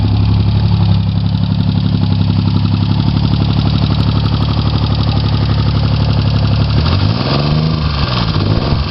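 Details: Chevy Sprint turbo 1.0 L three-cylinder after top-end rebuild, Saab 9-3 turbocharger, straight pipe with two cherry bombs, total cold start, low on fuel; fires instantly and idles with a low steady even thrum, no knocks, normal idle.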